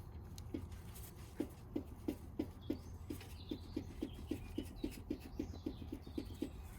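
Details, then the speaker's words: 2000 Volvo V40 front anti-roll bar (stabilizer) link rocked by hand, wheel off: light sharp knocks about three a second from play in the ball joint; causes knock over small bumps, louder when driving. "they are knocking a little bit. So when I'm driving, you can hear that knocking is a little bit magnified for whatever reason."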